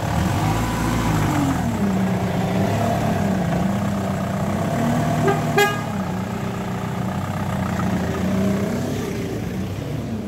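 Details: Ford Mondeo engine idling with a steady low drone and a wavering whine rising and falling slightly, from a faulty power steering pump.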